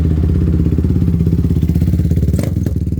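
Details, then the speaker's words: Honda 450R ATV, freshly built big-bore engine with ported head, 0.1 hours, not broken in, still warming up: loud, deep single-cylinder thump at a steady, slightly lumpy idle with a strong exhaust bark; normal warm-up idle. "Still warming up, but my gosh, does that have a bark. My hopes of having a mildly quiet machine are, they've been shattered, to say the least. I mean, it sounds like a 450 does, for sure."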